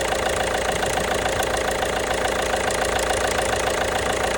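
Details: 1.5 BlueHDi (DV5RC) diesel idling with a fairly steady knock of roughly two per second over the clatter; engine knock, cause not pinned down.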